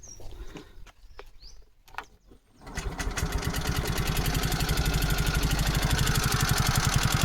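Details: 2023 ZR motorcycle, engine found with almost no oil, no smoke: catches and settles to idle with steady light tick about four per second over exhaust; timing chain checked OK, rocker arm worn, bore seized.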